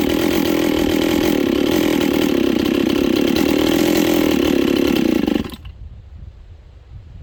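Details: Rebuilt Husqvarna 266XP chainsaw with a new top end installed, on its first run with final carb settings not yet done. It revs high and steady, then cuts out abruptly, with sluggish bottom-end pickup and carb mixture still needing adjustment.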